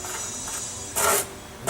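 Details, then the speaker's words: Beetle engine after a generator swap, shims all on the back side, fan turned by hand: dry scraping rasp in short bursts as the cooling fan rubs on the backing plate; fix is moving shims to the other side. "hear that okay so we got some rub there which means i gotta move some of those shims to the other side"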